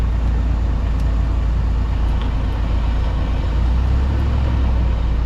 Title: How Wheel Bearing Sounds When It Goes Bad and How to Check